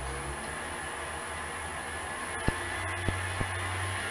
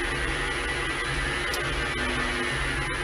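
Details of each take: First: Clarke CL430 lathe converted to VFD and 3-phase motor, after EMI suppression shielding: quiet steady motor hum with faint high drive whine and light clicks, constant speed about 1092 max; runs smoothly, tacho interference gone. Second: Clarke CL430 lathe converted to VFD and three-phase motor: constant buzzing hiss and thin high whine through the workshop radio while the lathe runs; inverter EMI also disturbing the tacho, before suppression fix.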